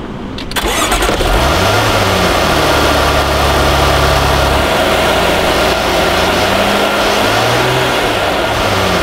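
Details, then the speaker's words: Supercharged engine, cold start settling to idle: constant rough, gravelly hum underneath from noisy worn main supercharger bearings; noise present all the time and gets much louder as the engine warms. "so can you hear that kind of s of SL rough sound that shouldn't be there that's what we're listening to and that is your main supercharger bearings that become noisy"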